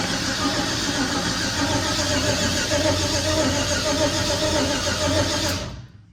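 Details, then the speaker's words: Junkyard LS (L33) with a large turbo, belt-driven fuel pump and 5-month-old methanol fuel, first fire: starter spins the engine steadily for five seconds without catching; fuel pressure only reached 2 psi, about 4 psi needed; cranking no-start. "Okay, so this is pretty normal. I'm trying to pad everything off, but we're up to 2 psi. Kind of surprised it didn't go on the first hit, but usually like 4 pounds. 4 pounds she'll pop."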